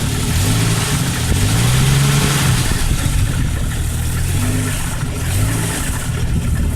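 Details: 1998 Jeep Cherokee 4.0 with a loose, uneven knock tapping through idle and persisting under revving; owner suspects rod knock, unconfirmed.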